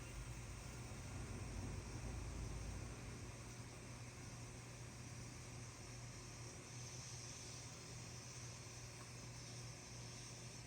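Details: Refilling a 1 lb propane bottle from an inverted larger tank to create a wet line, valve open: even constant hiss over a low rumble with no sputter or pitch change; liquid propane flowing normally.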